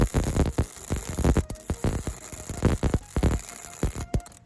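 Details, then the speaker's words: MIG welding with the shielding gas turned off: ragged, irregular popping and spitting instead of a steady frying hiss. The resulting weld is extremely porous with very little structural integrity. "Okay, you can probably already hear that sounded quite a bit different, and if we look at the weld, it is extremely porous, so you can see the difference in quality. This is gas shielded weld here, and this is without gas, and this is pretty brutal."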